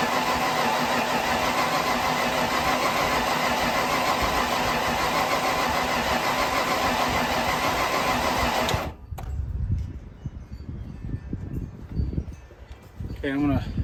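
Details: 1995 Ford Bronco parked for years, cranked with a fuel pressure gauge showing about 40–48: steady rhythmic starter cranking for about nine seconds that never catches, then stops; cranks but won't fire.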